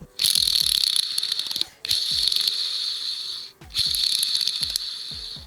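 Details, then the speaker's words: Toyota W56 5-speed manual transmission from a 1986 4Runner (22RE) with input bearing failure and metal shavings: a hand-spun split needle bearing from inside the gear gives a gritty, high-pitched, uneven rasping rattle; worn needle bearing. "all right we got the bearing spacer gear and a needle bearing that looks to be a split bearing that goes inside the gear so this bearing that i thought was bad is definitely bad"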